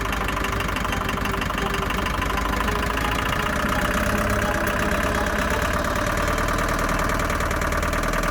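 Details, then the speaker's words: Land Rover Series III rescue project, sat for years: runs very loud and rough, idles on its own but revs poorly, with an irregular knock about three per second; owner suspects top-end knock, source unconfirmed. "although it runs like a Bag of Nails it actually idles on its own it doesn't rev very well and I'm not sure what that knocking is but it sounds like a top end knock"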